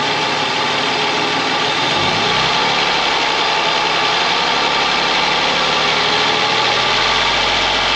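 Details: Ford Mondeo ST220 V6, engine neglected in the past, first run after reconnecting breather pipes and vacuum hoses, partly reassembled; even steady idle, busy mechanical whir on top, no misses or knocking; normal idle.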